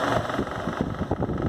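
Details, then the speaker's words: Arno Versátile fan shaking like a tractor, during blade balancing with a clip weight: rough, uneven rattling drone with irregular thumps; the weight on this blade makes it shake even more than the first blade tried, so it's the wrong blade. "Olha só como está trepidando mais ainda. Essa ainda está pesando mais do que a primeira que eu comecei."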